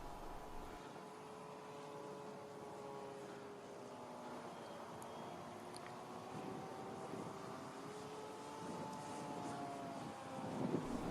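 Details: Scratch-built RC Spitfire on its maiden flight, heard from the ground during a pass: distant motor drone with wavering buzzy overtone; propeller or motor vibration.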